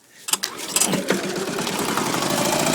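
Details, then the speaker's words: Gravely L8 tractor with 10 hp Launtop clone diesel, pull-started using compression release; a few pulls and clanks, then catches into quick even thump without misfire, smooth running engine. "up she goes. And real smooth running engine."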